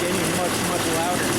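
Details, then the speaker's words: New Harbor Freight V-twin air compressor pump replacing a seized one, engine-driven, first start-up without intake filters: steady dense even mechanical clatter under load while building tank pressure; running normally. "I don't know if you can hear on the camera but it's actually building on pressure I hear it getting"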